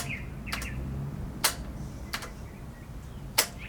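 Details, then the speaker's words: Abandoned 1990 Yamaha XV1100 Virago on its first start attempt: four scattered sharp solenoid clicks with no starter spin; the starter motor is suspected to lack current from a poorly attached battery connection. "basically you'd hear the solenoid click but the starter wouldn't engage so wouldn't start the bike obviously"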